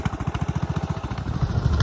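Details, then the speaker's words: Craftsman DLS3500 riding mower sat outside for years with old gas: low uneven putter from a small single-cylinder engine, beats stumbling; rough running, owner suspects dirty carburetor or stale fuel. "sounds like the carburetor needs cleaning or I just need to run that gas out of it maybe I just need fresh gas"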